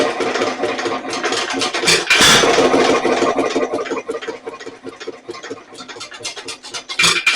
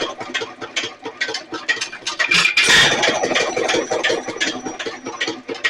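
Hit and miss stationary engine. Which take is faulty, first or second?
first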